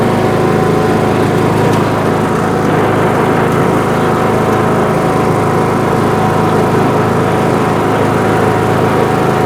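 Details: Craftsman LT 2000 riding mower, 19.5HP Briggs & Stratton 31P677 500cc single, after head gasket replacement, driven outside: steady, even single-cylinder drone holding speed under load with no knocks or misses; running healthy.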